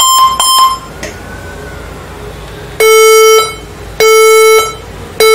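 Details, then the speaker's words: HP ProBook 440 G7 laptop at power-on: a few quick beeps then long evenly spaced beeps roughly every second; startup beep error, cause unknown. "have you had sound like this that you've just had a while ago being emitted by a laptop a computer like this one you've just had this is what is happening to this hp pro book 440 generation seven laptop"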